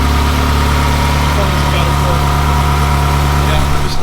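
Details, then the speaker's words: Yellow Ferrari 360 just after a major service, warming up to temperature with oil being added; smoke from oil spilled on headers. Deep even idle rumble, steady low hum, no knocks or misses. Normal idle. "letting it get up to temperature, adding some oil, making sure everything works. So far, so good. It sounds good."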